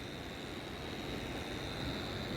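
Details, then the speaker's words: AUX split AC indoor unit after servicing: steady fan rush with a constant thin high-pitched whine from the blower motor, abnormal noise judged to come from the motor bearing, which is to be replaced; blower motor bearing noise. "Actually it is not the normal noise, it is abnormal noise. You can hear the noise. This one coming from the motor."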